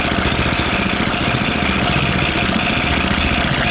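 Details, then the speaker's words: Toro 724 OE 1000 Series 7 hp 24-inch snowblower engine at rough idle with uneven loose clattering from the top end; valves found too loose, needs valve adjustment after intermittent loss of compression. "so I'm going to go ahead and put this back together now that it runs and tell them it needs a valve adjustment"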